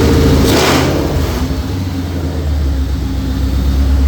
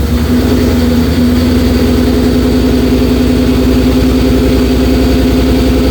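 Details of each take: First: Low-mileage 2004 Mercury Marauder with new forged supercharged 03-04 SVT Cobra engine and new headers, first start after 7 years, warming up: after a blip, smooth, even, deep idle, slightly smoky from new parts burning off; normal. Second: 2004 Mercury Marauder with a forged 03-04 SVT Cobra supercharged engine swap, second start after 7 years sitting: a steady, fairly high whine over the idle from start-up; air in the power steering suspected, bleeding needed.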